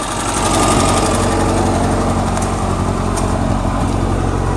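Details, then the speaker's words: 1985 Suzuki Samurai with carbureted four-cylinder and manual transmission, owned since two years old and bought with low mileage, after a carb cleaning. Even, steady engine note with no misses, knocks or ticks; runs good. "can hear it run. It runs good. It's 1985."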